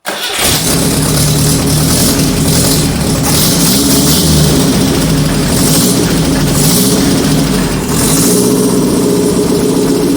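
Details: 1978 G12/612 1200 engine, overhauled after sitting for decades, first fire-up: catches quickly then idle wanders up and down and won't settle; the electric idle valve doesn't work, so it can't hold idle.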